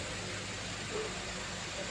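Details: Geely Coolray 1.5 turbo petrol that would not start, after starter motor replacement: starts on one click and idles smoothly with a steady low hum, no knocks or grinding.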